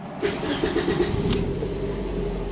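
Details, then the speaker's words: Four-cylinder engine cranks, catches and settles into a slightly lumpy idle; misfire counter shows cylinder two misfiring, so the cylinder two coil and plug are to be pulled next. "ding so I'm guessing we got a problem and cylinder too"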